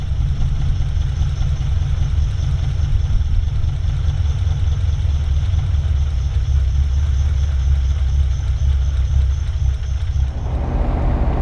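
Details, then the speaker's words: Ferrari (InfluEnzo) after an engine rebuild, idling after a run: a deep low idle with an uneven, stumbling pulse. Rough-idle misfire; fuel and spark reach all cylinders, rear-bank plugs are wet, and coil banks are being disconnected to diagnose it. "Next, I'm going to disconnect each bank separately and see how the engine behaves. So you can hear it's definitely not running as well as when I first started it up before I took it on the run."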